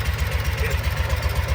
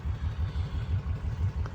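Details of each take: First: 2012 Kawasaki Mule 4010 EFI liquid-cooled V-twin, down on power: uneven lopsided idle thumping with gaps, running on one cylinder; rear cylinder dead miss confirmed by water spray test, caused by a broken spark plug. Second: 2012 Kawasaki Mule 4010 with a liquid-cooled V-twin and 250 hours, after a broken spark plug was replaced. An even, steady low thumping picks up cleanly with the pedal floored, both cylinders firing; it runs normally.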